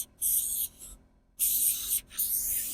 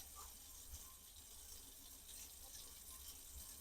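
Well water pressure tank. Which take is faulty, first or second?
first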